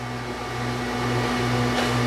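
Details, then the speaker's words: 2017 Jeep Cherokee in for ABS light: electric parking brake motor hums steadily during release but the caliper stays applied; caliper seized, not releasing, needs replacement (both sides recommended). "so this caliper is not releasing [Music] I can hear the motor running but it's not releasing so it needs a caliper"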